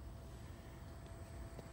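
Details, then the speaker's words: Trane XC95m TUHM modulating gas furnace during gas valve setup. It fired, then modulated down to low fire. Soft, even low rumble with no pulsing or rattle; nice and quiet: normal low-fire operation. "This one, as it fired up and then it modulated down. And uh she's nice and quiet."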